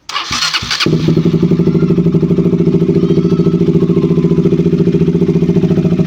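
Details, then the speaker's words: KTM RC 200 single after replacing a faulty spark plug cap that caused stalling and no-start. It catches at once and settles into an even, steady idle with no misfire, a normal idle. "Sige so Ayan umandar yung motor Ito lang yung pinalitan natin"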